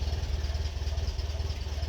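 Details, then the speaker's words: 1951 Ferguson tractor after thermostat housing replacement, at idle: slow, even low thump, steady beat, no misses or knocks; running sweetly, no leaks. "Brilliant. Yeah, that is a really well running tractor. Really happy with that."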